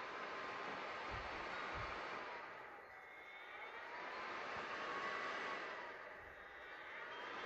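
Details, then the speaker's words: PlayStation 4 fan with broken connector, bench-tested with wires on a supply thought to be set to about 4 or 5 volts: steady soft even whoosh, no rubbing or ticking; fan works fine. "yeah looks good so I can keep now my work and then well we can say yeah sure that the fan is really working great"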